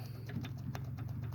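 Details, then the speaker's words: Polaris RZR 800 S suspension rocked by hand during teardown. Sharp, irregular knocks and clicks from up-and-down play in a worn lower ball joint, worse on the other side. Upper and lower ball joints and control arm bushings are to be replaced. "You can hear it. It's worse on the other side. So in this lower ball joint is just about ready to give up the ghost."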